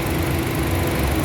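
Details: 2009 Honda City with A/C not cooling: the compressor clutch had shorted and kept blowing fuses, refrigerant was present. After replacing the compressor clutch there is a steady, even idle with a smooth low hum. The clutch engages normally and the A/C cools normally.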